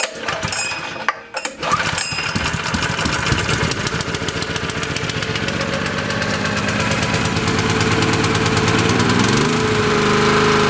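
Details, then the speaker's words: Honda EG2200X 2.2 kVA generator, possibly 1980s–early 90s, after fuel drained: cranks, catches after a couple of tries (owner suspects air in the fuel), then settles into a quick, even, smooth single-cylinder idle; owner thinks it could use a carburetor cleanup. "Very smooth. Initially it wouldn't start because I just drained this out, and I think there was some air in there or something, I don't know, but it probably could stand to have a carburetor cleanup."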